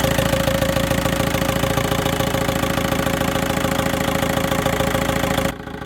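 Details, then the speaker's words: VW 1.9 TDI diesel at idle after replacing the alternator overrunning clutch pulley: even clatter about three and a half beats a second, no squeal or chirp; earlier dry-bearing-like whine on steering, caused by the alternator clutch, is gone. "Дивіться, зараз крутимо, ніякого писку немає. Юра, покрути рулем!"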